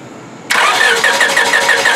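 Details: 1999 Honda Civic LX 1.6L, weak battery on charger, cranking: starter spins the engine with an even, quick chug for over a second but it never catches; no spark, fixed by replacing the faulty ignition coil.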